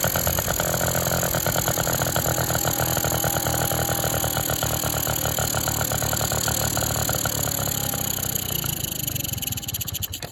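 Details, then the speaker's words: Honda Express NC50 two-stroke moped with dirty carburettor, while adjusting the low-speed idle mixture: ragged, uneven idle for several seconds, then fades and dies; engine stalls during idle mixture adjustment. "Alright, it died out."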